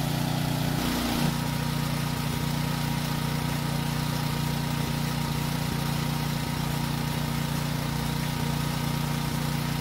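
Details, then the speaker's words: Generator that ran only on choke: steady even hum at constant speed as load switches, no surging or misfire; normal running under load. "if it runs fine i'll move the work light plug from one outlet to the next"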